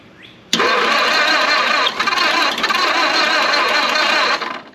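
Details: Abandoned 1929 Ford Model A Doodlebug, sat for years, cranking on a 12 V battery with choke on; loud steady cranking for about four seconds with faint attempts to fire, but it never runs. Cranks but won't start.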